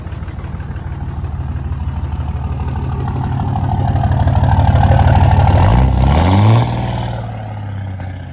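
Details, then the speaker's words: Cummins diesel truck, previous owner spent thousands and still not running right, at idle with steady low clatter and an occasional faint stumble; slight skip, slight misfire, cause unknown. "Skipping just a little. Slide skip. But it do have a skip. Does sound like a Cummins though, that's for sure."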